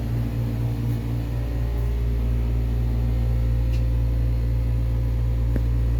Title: New York Hilton JFK Airport Hotel Sucks, Smell, Air Conditioning broker loud noise machine